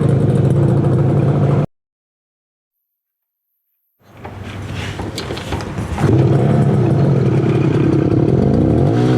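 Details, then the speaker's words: 1968 Yamaha YAS1C 125 two-stroke twin, carbs cleaned, choke off: pops unevenly at idle, stumbles and won't pick up on throttle, runs better with choke; right cylinder firing irregularly, owner suspects right pilot jet. "see you can hear the difference this one is this one's steady so there's something going on on the right side"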